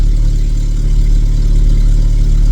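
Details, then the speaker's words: 1997 VW Vento 1.8 automatic after its distributor contacts were cleaned, finally running after a long no-start. A low, even rumble holds a steady idle with no stumbles or knocks; normal idle. "We got it running. We got it running."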